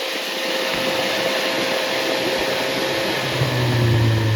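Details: Freshly rebuilt MG Midget/Triumph Spitfire 1500 engine FP42270UE, -5 degree day: new bearings, balanced crank, 270 cam, flat-top pistons, compression 175-185; light, smooth idle settling quickly, no ticking or knocking; normal idle.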